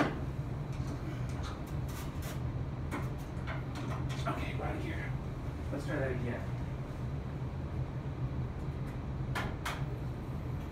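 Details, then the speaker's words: Porsche 914 with WRX engine swap, first start: engine catches and settles into a steady, even, smooth low idle with no knocks or misses. "sounds like success doesn't it"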